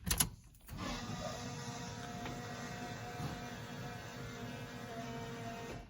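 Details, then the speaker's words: 1984 Chevy K10 with Holley Sniper fuel injection, key on after fuel hoses were shortened: click then faint steady electric whir for about five seconds, longer than usual as it re-primed; normal fuel pump prime. "you can hear it prime it usually doesn't run that long it primed that much this time because i had to take the fuel hoses off and shorten them up a little bit where they clamp on there because it had too much slack so it just re-primed it"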